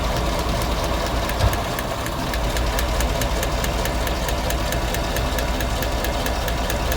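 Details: 2017 GM Silverado 5.3 V8 at idle, valve cover off, AFM deleted with EFI Live, 25,000 km, P0324 knock sensor code: sharp regular tick about four a second as the same number four pushrod bent again, under a year after replacement.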